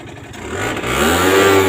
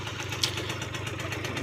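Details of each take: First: Aprilia Gulliver 50 two-stroke scooter, which had run but wouldn't drive properly, now fitted with its original larger-opening air filter and the leaking filter neck taped: blips up crisply and holds a steady, even buzz; it runs very smooth. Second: Aprilia Gulliver 50 two-stroke scooter: soft, even idle with steady fast pulse and no misses, but smokes heavily and won't accelerate properly, suspected fuel starvation; fuel valve swap made no difference.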